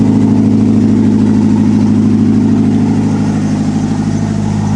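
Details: 1993 Honda Prelude Si (BB4) H23 engine at start-up after new timing belt, clutch and rear main seal, distributor reconnected: steady, even idle with smooth low hum, no knocks or misses; settles and runs cleanly.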